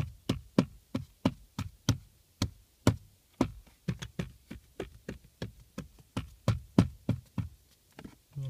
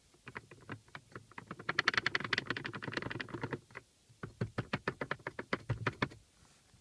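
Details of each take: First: Lada Priora glovebox rattled on the right side. Its bushings were wrapped with electrical tape in two places; tapping now gives dull, low thuds with no sharp buzz, and the bushings sit firm. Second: Lada Priora glovebox removed: two loose metal bushings give light, quick irregular metallic clicks when shaken, a rattle from the right side of the car that can pass for a suspension knock; fix planned by wrapping them with electrical tape.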